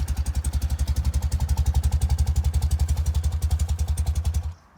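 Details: 1993 BMW R100GS Paris Dakar, 75,828 km, recently serviced (valves, synchro, plugs), started without choke after a short ride: even steady thumping idle at a few pulses per second, then cuts out because still a bit cold; normal idle.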